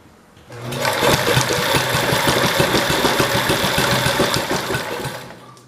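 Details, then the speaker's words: Kohler K181 single-cylinder engine on priming fuel, spark confirmed; it catches, pops unevenly for a few seconds, then fades and stalls, fires then dies. "let's try it so it doesn't want to run it does have spark that's good"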